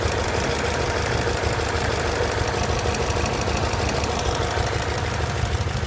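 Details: BMW E39 M5 V8 at idle: steady idle with loose, uneven tapping from the bottom end; possible rod knock, suspected but not confirmed.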